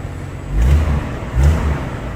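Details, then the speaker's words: 1982 Ford Granada after a carburetor rebuild; low, smooth engine hum with a couple of gentle surges, no knocks or rattles, smog air pump present; running quietly and healthily. "Got that awful smog bump. This thing is actually quiet."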